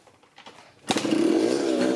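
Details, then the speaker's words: 1984 Yamaha RX50 two-stroke 5-speed motorcycle, not run for at least six months, with petrol poured in: a kick and it catches, crackling and revving unevenly; engine starts and runs, so compression is present. "Oh, wow! Hey now! Well, we have a runner."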